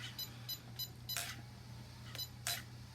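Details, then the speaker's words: SCX6 RC crawler with a real gasoline 44cc V8 on its maiden test run, in gear under throttle: short high beeps about three a second over a low motor hum with servo whirs; radio voltage drops from 9 to 8.8. "Watch the voltage on the radio drop. It starts off at nine and goes to 8.9 8.8."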